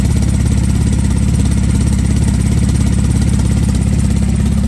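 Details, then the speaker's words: Flood-damaged Porsche 911 Turbo on base map, running on a Marvel Mystery Oil mixture: steady even idle, equal smoke from each pipe, earlier tick gone; quiet valvetrain, normal idle. "it sounds good if you ask me we got equal smoke coming out of each pipe it actually isn't sounding better too where's that dick though i don't hear no tick"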